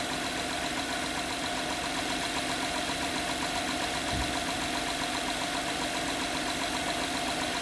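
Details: 2011 Honda Pilot at idle, customer complaint of strange engine noise and stinky smell: faint fairly regular knock about two per second over the engine; engine looks normal, knock source hard to find.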